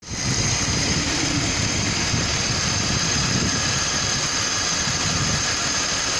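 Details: BMW M52TU inline-six idling with a rhythmic, dull knock at engine speed underneath; cause unknown.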